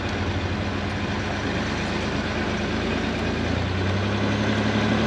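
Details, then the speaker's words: Range Rover Sport L320 on test drive after replacing worn rear anti-roll bar drop links: steady engine and road hum, the rattle and knock over bumps from the rear is gone. "It's much better."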